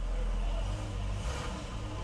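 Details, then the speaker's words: Dodge Charger with nearly 200,000 miles and the check engine light on, reported as ticking, at idle: a deep, uneven growl with no valve-train tick; cause unknown, possibly the flywheel. "oh y'all hear that I hear some growling oh boy sound like a flywheel"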